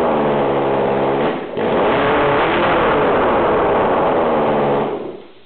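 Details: Yamaha FZR engine, bench-run out of the bike after sitting behind a shed, fuel primed: catches and runs with steady mid-pitched drone, brief dip then even revving; normal running.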